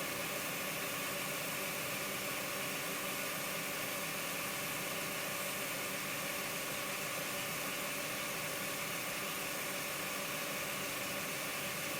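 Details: Model locomotive motor with a DCC decoder from another loco, at full speed drawing about 0.2–0.3: smooth, even high-pitched whir with no surging or catching; normal motor running.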